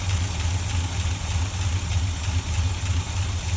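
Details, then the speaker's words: 1965 Chevy pickup with dual exhaust, rebuilt and parked 15 years, idling just after first start: deep, slow, lopey idle with a steady low thump through the exhaust, even and unhurried; normal idle, oil pressure later reads 50 psi. "yep that's how she was back in the day just sit there real nice and easy sitting there the damn nothing idle that's how she was 20 years ago"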